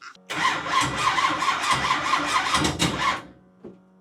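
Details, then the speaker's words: Big block engine first start-up attempt, fuel primed, MSD ignition box, laboured cranking at two to three beats a second with thin starter whine and no firing; weak battery causing slow cranking, starter possibly sticking. "ah it's that battery power because right there it had some battery power it started turning fast and then it like spit"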